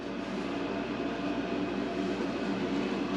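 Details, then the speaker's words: Mr. Heater Big Maxx garage heater, under a year old, with its cover loosely refitted: a steady roaring fan with a rapid, regular rattling chatter on top, like the blades hitting something, though nothing contacts; the blower motor itself has broken. "put these on here just Loosely and start this up again and see if I can see what the hell is going on but I think this motor is blown"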